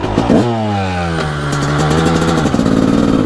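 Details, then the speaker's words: 1998 Honda CR250 two-stroke, first ride this year after sitting: crisp ring-ding blips rising and falling cleanly with the throttle, snappy response, no rattles; owner says it is zippy and pulls hard; normal revving. "Oh man, this thing is zippy. Holy cow. This thing will really pull you back in your seat."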